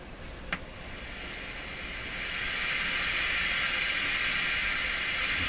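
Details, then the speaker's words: Grundig 2030 AM/FM tube radio, FM band during RF and detector tube testing: station fades away as tuning goes down from the higher end and steady hiss takes over; suspected alignment or antenna tuning problem, not confirmed. "this gets louder and louder quieter as we go down so you know that suggests an alignment problem it just Fades right out"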